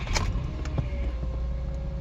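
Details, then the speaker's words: 2016 Subaru Forester, about 40k miles mostly highway, in neutral: steady mid-high whine over idle when clutch pressed slowly, quieter with clutch fully in; owner attributes it to bad throwout bearing, unconfirmed. "so this is in neutral when i press the clutch down slowly that high winding sound is the throw out bearing so that i'll be 10 of the clutch when i go full in it gets more quieter"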